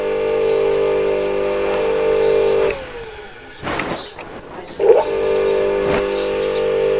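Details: Water pump under repair, test run with cover not yet fully closed, checking for squeal or rubbing: steady mid-pitched motor hum drops out briefly then spins back up smoothly; pump motor running normally.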